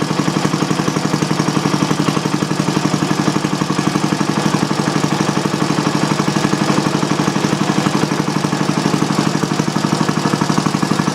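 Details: Old single-cylinder Briggs & Stratton on bench with new Champion J8C plug and external coil, not warmed up: even steady chuffing about four beats a second, no misses or knocks; normal running.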